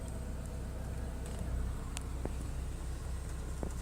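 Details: Petrol car after replacing the whole Bosch fuel pump to cure flickering dash and car lights and a noisy pump: smooth, even idle hum with no surging or rpm hunting, and the lights no longer flicker; sounds healthy.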